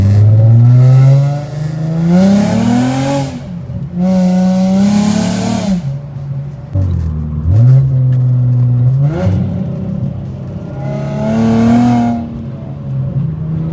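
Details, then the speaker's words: Infiniti G35 coupe (VQ35DE), exhaust leak just repaired, POV driving: deep, clean exhaust note swelling and falling through the gears with sharp rev blips on downshifts; no ticking or puffing, exhaust now sealed and healthy. "so my exhaust has not sounded this good in a long time so I'm going to just get some POV driving for y'all so y'all can hear the exhaust real"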